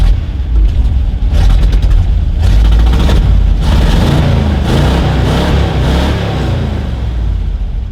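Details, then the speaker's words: Shop vehicle started after a long layup. Deep, even engine rumble with free revs rising and settling, no knocks or misses. Good oil pressure, it is charging, and throttle response is quick, though the carburetor is still a little sticky; running normally. "yeah you got good oil pressure seems to be charging very quick throttle response yeah carburetor is still a little sticky"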